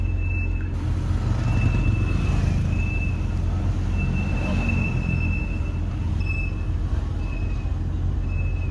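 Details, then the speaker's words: 1996 BMW E39 braking on the road: high, thin squeal coming and going in several bursts over low road rumble; brake squeal, cause not yet found, rotors and pads to be checked. "So annoying. In this video, we are going to eliminate that noise for basically free."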